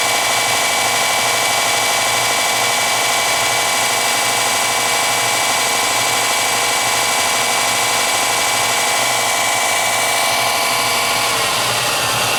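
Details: Porter Cable belt sander after fitting a bigger tracking spring and a lock washer under it so the belt tracks mid-drum without rubbing the cover: steady even hiss and whir, no rubbing or catching.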